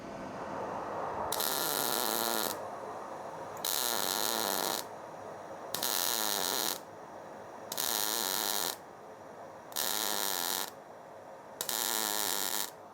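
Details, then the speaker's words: MIG welding test bead on pedal car build steel after dialing in settings, intermittent stop-start tacks laid next to each other; six bursts of even, steady frying sizzle with quiet gaps, normal clean weld. "The method we're doing is called intermittent welding, which is stop start."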